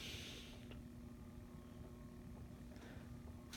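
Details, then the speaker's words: Turn of the Century ceiling fan on a solid-state variable speed control at low speed, drawing 0.25 A: steady electrical motor hum, judged too noisy for a bedroom. "This one, that's one thing, these motors may be a little noisy. Yep, already hear the hum."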